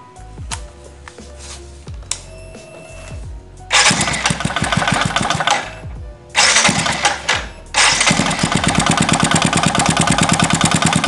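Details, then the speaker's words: 2015 Yamaha Jupiter Z1 used motorcycle, oil not circulating to head, exhaust muffled to locate noise, running after kick start: busy metallic ticking from the valves at the front and rough noise from the middle of the engine. "jadi saya mendengar suara itu besar sekali dari depan sini dari klep dan suara kasar juga dari tengah sini"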